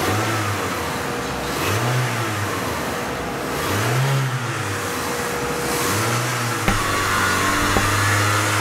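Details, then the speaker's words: Mitsubishi Galant, check engine light, after MAP sensor replaced, revved repeatedly to provoke fault: engine climbs ragged and uneven every couple of seconds, hesitation and signal cutouts from a defective MAF sensor. "now basically I'm just revving it I'm trying I'm just trying to get the car to act up I'll cut out more so you can see the signal"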